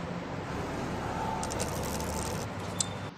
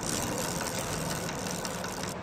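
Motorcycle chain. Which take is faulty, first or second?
second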